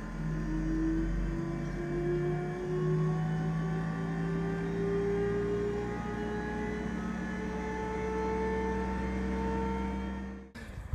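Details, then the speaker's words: T-72 tank engine running after repairing its electrical oil pressure priming pump; the start button primes oil before the starter engages. Steady, even diesel drone for about ten seconds, pitch creeping up slightly, then cut off; healthy running. "so here we are electric start button so that should hit the oil pump first which we'll see some pressure arrive then engage the [Music] starter sounds like it's working"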